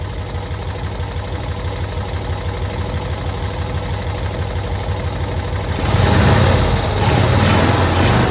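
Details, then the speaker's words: 1992-ish Cushman Truckster, pulled from a field after years not running, idling after fuel fill: even, steady low putter, then smooth pickup in revs with no misses or knocks; normal idle, "running like a sewing machine." "I can't believe that thing just sits there and idles. Just purring away."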